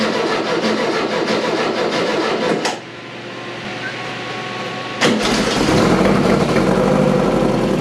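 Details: VW 2276cc air-cooled flat-four in a buggy after new pushrod tubes, sand seal and CV boots: starter churns briefly, catches, steady even idle with no knocks or misses; normal start and idle.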